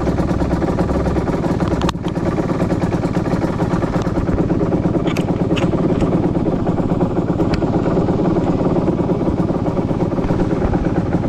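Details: 2010 Aprilia RS 125 two-stroke on a VHSB34 carb before tuning: 162 main jet, K57 needle on top clip, B36 pilot, air screw 2.5 turns out. It revs hard with rough crackling and stumbling, stuttering around 6,000–7,000 rpm. A rich stock needle is suspected, not confirmed.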